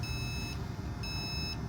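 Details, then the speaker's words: Jayco Redhawk 31XL motorhome auto-leveling jacks: a shrill beep, half a second on and half off, over a low hum, repeating until the jacks finish moving and the coach is level. Normal operation. "you just press the power button and then auto level and you'll hear it beeping and it'll just continue to beat until everything has finished moving and the coach is completely level"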